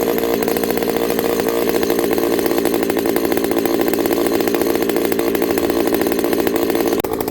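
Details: Ported Homelite 922 chainsaw after clutch fix, new fuel line and cooler heat-range plug, cutting hard wood: crisp, steady two-stroke buzz at speed with no stumbling, surging or misfire; running clean and strong.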